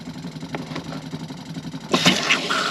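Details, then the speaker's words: Benivan 120 campervan with a newly fitted Shurflo habitation water pump replacing a frost-damaged one, bleeding the kitchen taps: a low steady buzzing hum, then a sputtering gush as air clears. The pump works properly. "That's the hot water system and the cold water system primed. That seems to be okay."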